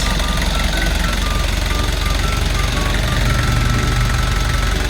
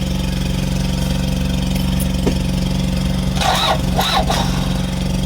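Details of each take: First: Kia Bongo Big Eye diesel with electronic pump, after a no-start: even idle clatter about three beats a second, no stumbling or hunting; healthy normal idle. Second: Kia Bongo Big Eye diesel that cranks but won't start: steady starter churn, engine turning over without catching; fuel supply present but shutoff valve stuck closed, cutting diesel to injectors; valve later removed, then it ran.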